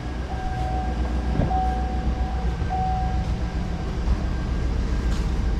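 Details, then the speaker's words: 2008 Chevrolet Tahoe after replacing the failed rear A/C blower motor, engine idling: steady low rumble with a faint even hum from the rear blower, no rattle or squeal; normal rear blower operation. "Oh yeah, everything's working. Yep, everything's working. Everything's working just like it's supposed to."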